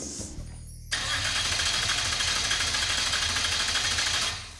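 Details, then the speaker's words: Mazda with a swapped 2.0 engine, first start attempt: steady starter whirr for a few seconds with no catch or firing; computer shows no fuel pressure because the pump isn't running, possibly not grounded. "it's telling me we don't have fuel pressure well yeah the pump's not running"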